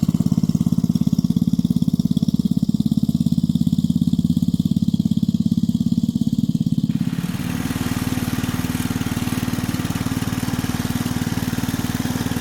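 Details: 1965 Rugg Carpet Cut riding lawn mower, repowered with electric start, running: steady, even firing with a smooth low drone, beat shifting slightly midway, no misses or knocks; sounds good, healthy.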